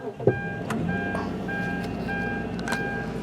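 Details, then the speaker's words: 2004 Kia Amanti sedan with 13,528 miles, airbag light on: a brief crank, then the engine catches at once and settles into a smooth, steady idle with a chime in the background; it starts right up, a normal start. "all right as you see starts right up there no problem"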